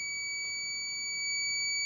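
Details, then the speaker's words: Mercedes 508D/613D cooling-system temperature switch tested in near-boiling water with an ohmmeter: steady, unbroken high-pitched continuity beep as resistance drops; thermo switch closing as it should. "That resistance is pretty small, but there it's not working. Now it's working. You can hear the ohm meter is making that beep noise."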